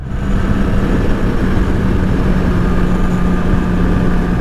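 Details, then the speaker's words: Rebuilt wrecked 2009 Yamaha R6 with 34,000 miles on its first test ride: a loud, even, steady exhaust drone with no knocks, rattles or misses. It runs cleanly and healthy. "thing runs like a frickin' top for having 34,000 miles on it. Yeah, that exhaust sounds really nice. It's loud, but it sounds good."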